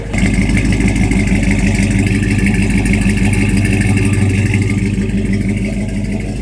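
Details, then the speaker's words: 1982 Dodge W150 with a swapped-in 5.7 L Hemi from a 2008 Ram 1500 and a Flowmaster 40 series exhaust, idling and revving. A deep, even V8 burble with no misses shows a healthy engine with an exhaust too loud for a daily driver. "so right now it's just got the 40 series flow master exhaust on it and it's honestly a little bit too loud for a daily"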